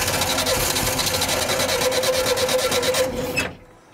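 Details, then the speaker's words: 1975 VW Shorty bus that sat neglected over 20 years cranks fast and evenly for about three seconds without catching; spark at the wires is good, so the crew suspects fouled plugs needing cleaning. "You reckon those plugs need to be pulled out and cleaned? It could be."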